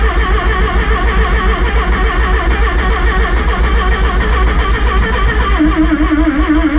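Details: Rotary-engined van's first start after rebuild: steady rhythmic chug of about three and a half pulses a second under music; engine cranking but not yet firing.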